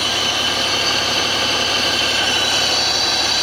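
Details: 2005 Honda BF225 V6 outboard after replacing both thermostats (starboard found stuck open), telltale flowing: smooth, even idle under a steady rush of water, no knocking, hunting or roughness.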